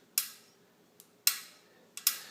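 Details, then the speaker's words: Mavic Crossmax ST 29er rear wheel: sharp irregular metallic pings from drive-side spokes at the hub flange, persisting after tensioning spokes to maximum spec; not low tension, suspected spoke shape or hub defect. "so what I find out is that the spokes are the source of the problem and this noise is coming right from here right from here"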